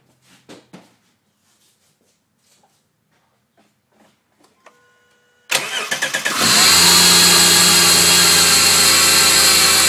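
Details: 2005 Subaru Outback VDC wagon, 3.0 H6, 80k miles: the engine cranks and catches, then a loud, steady high-pitched squeal and whir over the idle from a bad idler pulley. It first sounded like belt squeak and was silent after replacement.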